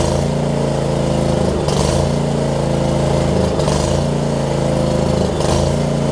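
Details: John Deere LX279 riding mower, liquid-cooled single-cylinder, hours unknown, just started after long cranking with an empty carb bowl: rough at first, then a steady, even beat with brief throttle swells and no stumbling; running normally.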